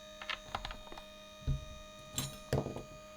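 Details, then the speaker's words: Returned battery-powered gadget: steady electric motor whine with irregular clicks and taps while the output does not spin, due to a stripped drive gear. "so you put the batteries in and it doesn't make any weird noises but now watch listen to that noise can you hear it's not spinning"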